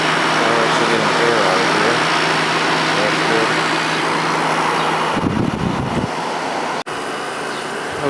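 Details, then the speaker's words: Vintage Whirlpool-made Coolerator 7,000 BTU window air conditioner with a Matsushita rotary compressor and Emerson fan motor, restarted after cleaning out debris. Steady airy fan rush over an even low compressor hum, no rattles or knocks. Runs normally, though a ground fault shocks the coils. "so it is running fine but all is not well"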